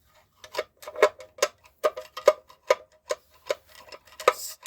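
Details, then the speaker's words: VW T3 diesel (D/TD) van with the oil dipstick set at the wrong height: light, slightly uneven metallic taps about twice a second, with no engine rumble, as the dipstick knocks the sump; this can wear through the sump or break the dipstick. "Vous voyez, ça tape dans le carter. J'ai rencontré beaucoup de personnes qui viennent me voir avec le carter percé à cause du jauge."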